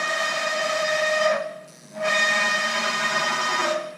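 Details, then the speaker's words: Haas VF-3 CNC mill retrofitted with new servos, axis stopped: loud, steady high-pitched whine, briefly cutting out, as the servo with excessive gain fights to hold position on encoder feedback, vibrating the ball screw and whole machine frame. "That is the motor trying to hold so tight the position that will create vibrations on the whole uh ball screw, frame of the machine, all of that will vibrate with that motor holding trying to hold that position in with the encoder feedback and See how loud it is?"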